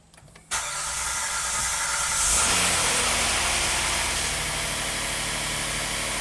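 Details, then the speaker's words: 2016 Hyundai Santa Fe GDI after replacing stuck-open number 5 injector: quick crank and clean catch, brief flare settling into an even, steady idle with no miss; normal start and idle. "Okay, runs smooth, that's good."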